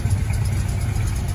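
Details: 1978 Plymouth Volare Super Coupe, unrun for years, started with gas poured down the carburetor: even, steady low thrum with regular pulses and no stumbles or knocks; smooth idle.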